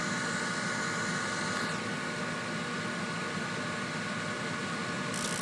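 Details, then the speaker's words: Trane 7.5-ton rooftop unit after replacing the inducer assembly; blower runs and the inducer fan gives a steady, even airy whoosh with no rattle, scrape or wobble, followed by spark ignition. "there's the blower there's the inducer sounds a lot better now and we'll see if we can"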